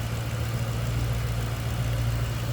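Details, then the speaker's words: 2007 Ford Mustang Shelby GT V8, Ford Racing cold air intake: deep, steady, smooth idle with no knocks, misses or whine; normal idle. "Sounds good, looks good underneath here."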